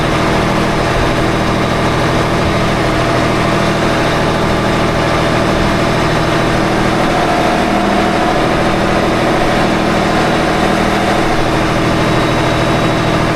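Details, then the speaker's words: Engine on 47 ft Carver motor yacht mid-Gulf at idle: faint gritty metallic rasp; pulley found hot, belts tight; sounds like metal on metal, suspected pulley bearing failure, debris seemingly flying off, owner unsure. "It doesn't sound good. Sounds like metal on metal. It sounds like a bearing failure on a pulley."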